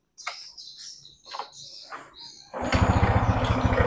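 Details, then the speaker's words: Honda Supra X 125 after a front engine teardown and rebuild to cure a harsh engine noise, exterior body not yet fitted: after a few chirps it settles into a steady, even idle with no rough knocking, now smooth. Normal idle. "nah suara yang semalam kedengaran jelas kasar ini udah hasilnya udah bagus ya hasilnya udah maksimal ketika langanssam pun suaranya Udah halus"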